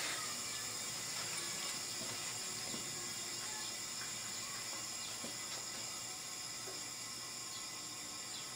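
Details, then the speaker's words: Empty automotive R134a A/C system being recharged after servicing from a disposable refrigerant cylinder via manifold gauges and tapping valve: steady even high hiss, no pulsing, refrigerant flowing freely into system before flow stops at pressure equilibrium. "now you can hear that the refrigerant flow has stopped that's because the pressure in the cylinder here has reached equilibrium with the pressure in the system"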